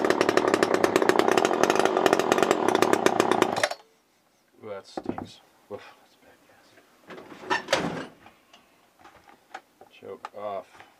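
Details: Old garbage-picked chainsaw, long stored, plug shows spark: rough, buzzy two-stroke run for about four seconds, then it dies; still struggling to keep running.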